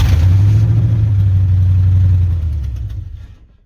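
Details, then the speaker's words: 1986 Chevy C10 Silverado with a carbureted 350 Vortec swap and TH350 transmission, first fire-up on a worn temporary carburetor. Strong, even V8 rumble revs and winds down smoothly, hitting on all eight cylinders. Owner credits an added extra ground. Normal running. "it does run that sounds good i mean it's hitting on all eight cylinders"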